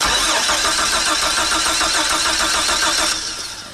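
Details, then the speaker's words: 1999 Chevy Astro AWD van, sitting 4 years, fuel pressure about 60-65 psi: steady starter cranking about three and a half beats a second with no sputter or cough; crank no-start. "not even a sputter not even a cough"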